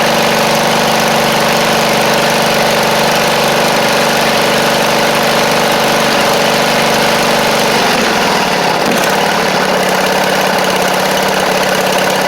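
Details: Poulan Pro (Craftsman) rider, Briggs V-twin: steady buzzing idle that sags and stumbles near eight seconds then recovers; carb flooding itself out through a failed needle and seat, carb to be replaced.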